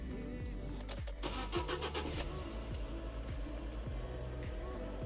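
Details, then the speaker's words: Fiat/Alfa Romeo 1.4 T-Jet engine after thermostat replacement: starter cranks briefly, engine catches cleanly and settles into an even, steady idle with no misfire or knocking; to be run until warm while checking for leaks. Normal engine start. "je démarre le moteur déjà je vais voir si ça démarre et puis je vais faire tourner jusqu'à ce que ça chauffe vérifiez qu'il y a pas de fuite"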